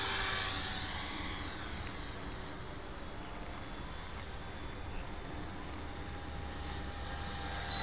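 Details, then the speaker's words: 450-size electric RC helicopter (Trex 450) with a new Hobbyking YEP 40A ESC in governor mode, head speed set to 2800 rpm, in flight: steady whine holding the same pitch through turns and load changes in fast forward flight, no surging; governor works. "okay well you can hear that it's holding a constant head speed already in the turns and the changing load in fast forward flight it's actually it is working"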